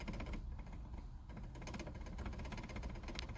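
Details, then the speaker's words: 1991 Fox Body Mustang with Tremec T5 manual gearbox at idle: fast, dry rattling clicks as the shifter vibrates in third gear, and also in fourth, but not in first, second, fifth or reverse. Owner once suspected the input shaft; cause not confirmed. "in third and fourth gear, shifter would vibrate a lot, like so."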